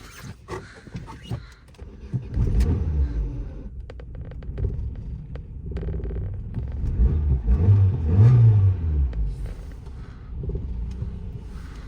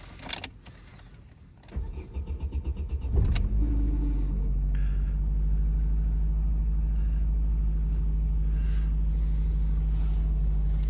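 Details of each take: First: 2009 Opel Astra G sedan, swapped X16-series 1.6 petrol engine, no-start after battery drain, just after ECU programming: starts but idle rumble swells and sags unevenly instead of holding steady; unstable idle, cause not yet clear. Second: Opel Astra G sedan, 2009, swapped 1.6 engine (X16XEL per title), would not start after the battery ran down, after a full ECU reset: brief crank, clean catch, settling to a smooth normal idle with no errors.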